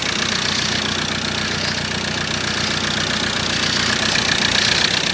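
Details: 2013 Ford Ranger 2.2 TDCi, first start of newly fitted recon engine: steady diesel idle with light quick tapping and no heavy knock while oil still reaches the top; healthy, no leaks.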